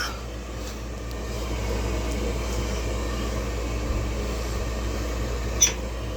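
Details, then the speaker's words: York gas furnace after replacing the blower motor and filter following a loud-noise complaint: smooth, low steady hum of moving air with no rattle or scraping, the new blower running quietly and healthily. "she's buring like a kitten that's what we want"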